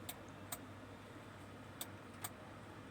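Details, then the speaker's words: Denon AVR-2113 receiver stuck in protection with no sound, won't power on: sharp dry relay clicks, four in three seconds at uneven spacing over faint hiss, while the 5.2 V supply drops; leaking capacitors found. Protection relay clicking. "Relay की tuktuk की आवाज इसमें आती है। जैसा कि आप सुन सकते हैं।"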